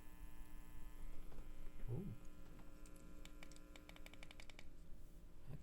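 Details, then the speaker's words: Nobsound Mini Bluetooth 2.1 amplifier (TPA3116, NE5532), while connecting Bluetooth: faint steady low hum with buzzy overtones under quiet clicks; owner suspects something wired crossed up. "noisy today I wasn't making that noise for probably just have something crossed up you"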